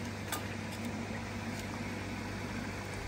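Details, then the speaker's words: Jebao 20,000 pond pump about 3 years old, stripped and clean, power reaching it, rotor turns but very stiff: steady low mains hum with faint buzz, motor energised but pump not running; owner suspects motor windings gone. "I think the probably the windings are gone on the motor, so you can hear it buzzing, but nothing's happening."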